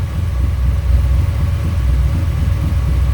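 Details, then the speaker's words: 1985 Dodge Ram D150 with 408 stroker V8, carbureted, idling after fuel pressure raised from about four pounds; all cylinders compress about 350: deep, loud, lumpy cam idle but steady with no skipped beats, all cylinders firing. "all right well if it sounds like he's running decent now I had to adjust the uh fuel pressure up it was at like four pounds"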